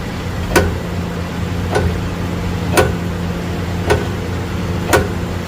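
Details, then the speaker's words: Ram pickup, around 2020 model, 126,000 miles, up on a lift in gear. A sharp, slightly irregular knock about once a second sounds over a low running hum; the knock is heard on acceleration and in drive or reverse. The owner suspects the differential or driveshaft; not confirmed. "let me get this thing on the lining rack there I can get a better View got it up in the air now let's see if we can hear go ahead and do it oh oh this a differential or the drive action oh"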